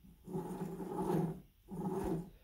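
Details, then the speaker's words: Worn pinion bearing from a Ford BA XR6 Turbo differential of unknown condition, hand-spun after teardown. Two spins give a coarse rasping growl that swells and fades. The race is scored and the rollers feel flat-spotted, so the bearing needs replacing. "however i believe it's a smaller bearing here that's the one that was causing all the problems you can hear when i spin it it sounds awful"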